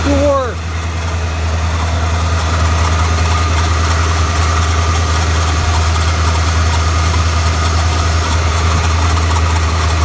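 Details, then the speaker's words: 1992 Ford F-150 after a belt change, a used junkyard tensioner fitted and the smog air pump deleted: brief start-up chirp, then a deep, steady idle with no belt squeal or slap. Charging works. Normal. "let's start it up and see if it works all right let's see what happens everything works it works good"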